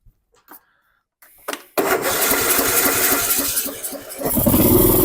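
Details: Dixon 2042 riding mower, 20 hp engine, 42 in cut, which turned over but wouldn't start: after dirt was cleared from the carburetor main jet and a new fuel filter fitted, a short crank on choke catches quickly and settles into an even single-cylinder idle, fixed.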